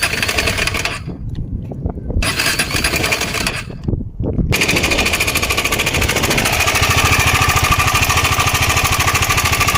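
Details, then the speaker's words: KTM Adventure 250 engine before repair, brought in for engine noise: fast, loud metallic clatter over idle from the top end; head cover opened, timing chain found slack, lifting by hand; worn timing chain rattle. "Sound అయితే విన్నారుగా friends, మనకి ఇంజన్లోంచి sound అయితే విపరీతంగా అయితే వస్తుంది."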